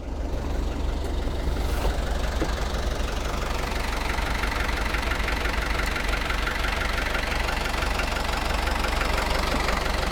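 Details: Perkins 4.108M four-cylinder 50 hp marine diesel, unstarted for six years, idling after a preheated start. Even, steady diesel clatter with no misfires, stumbles or knocks; water coming out of the exhaust, no smoke, alternator charging: normal idle.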